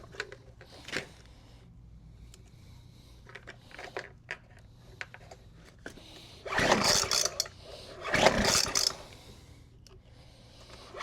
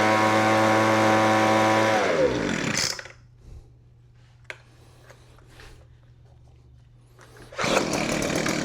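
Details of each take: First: Weed Eater FB25 25cc two-stroke blower, choked and primed with fuel: two hard recoil pulls with no firing at all, no start; it has a broken fuel line and a suspect recoil. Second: Weed Eater FB25 25cc two-stroke blower after new fuel lines, primer bulb and spark plug: clean steady buzz, shuts down, then fires again right away and holds evenly; running normally.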